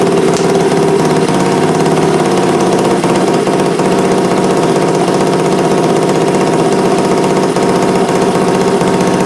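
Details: Honda XR80R first start after rebuild work: small single buzzes along at a steady, fast idle with no misses or knocks. Runs evenly, normal idle.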